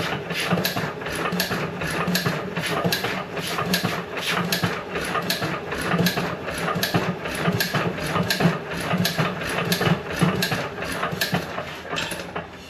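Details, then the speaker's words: John Deere 1.5 hp hit-and-miss gas engine after re-fitting igniter spring held by zip tie: loose uneven pops one or two a second with heavy smoke, never settles; owner unsure whether too much or too little fuel. "well it's sure trying to Serious smoke coming out yeah I just don't know if I'm giving it too much fuel not enough fuel each time it's getting a little more oomph to it when it kicks"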